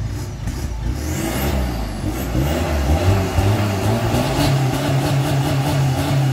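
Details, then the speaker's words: Nissan Navara NP300 diesel with short aftermarket exhaust, after remap fixing inlet pressure fault code, limp mode and check light: deep throaty rev blips pulling up and dropping back cleanly; normal revving. "Kereta ni ada bunyi yang best bang. Jom kita dengar dia punya bunyi."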